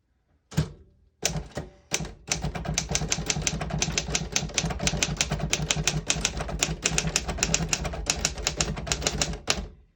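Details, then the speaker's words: 1956 Royal HHE vintage desktop typewriter function test: crisp, rapid, even key strikes with no sticking and a clean carriage stop; all keys type well with none sticking. "As you can see, all the keys type nice and none of them stick."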